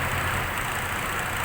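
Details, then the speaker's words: Six-cylinder petrol engine at idle: uneven low thrum, rpm hunting and occasional stumble with engine shake, from a single-cylinder misfire checked on a scan tool. "لو بنلاحظ كيف في تردد في دورة المحرك، عم نشوف كيف تردد انه كان المحرك عم باخذ وعم بعطي."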